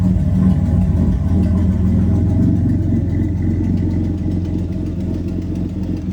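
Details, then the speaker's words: Turbocharged 3800 L67 V6 in a Camaro with new custom exhaust, idling: sharp, steady tick about four times a second; suspected exhaust leak or possible valvetrain issue, found to be a leaking exhaust manifold. "We're suspecting it's an exhaust leak just given its behavior, but it also could very well be some valve train issues."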